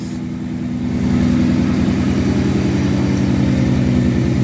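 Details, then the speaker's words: 1963 Studebaker Champ pickup, first start after points were filed and an electric fuel pump was fitted: steady, even idle with a smooth low thrum, no knocks or misses; it only needed consistent fuel. "That thing sounds good. All she needed was just some consistent fuel. That doesn't sound bad at all."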